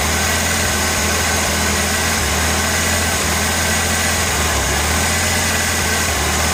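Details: 1986 Ford Ranger 2.3L with ongoing misfire problems despite many parts changed: steady low idle with uneven, lumpy pulse and occasional stumbles; rough idle, owner thinks only slight misfiring at the moment, cause unclear.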